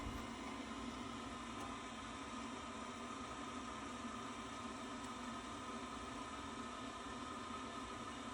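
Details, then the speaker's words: Worcester Bosch 30i ErP boiler after fault EA227 and washing-machine-like noise, condensate trap checked and hoses refitted: steady even hum and fan rush, no gurgling, running normally again. "but blue light shows its recognizer demand that sounds a lot better and green light means go and that's another one done Happy Days"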